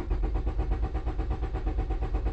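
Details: 2001 Honda Civic with no green key light in the cluster, immobilizer issue, no codes: even starter churning, roughly seven or eight compression pulses a second, never catches; cranks without firing, no spark or injection.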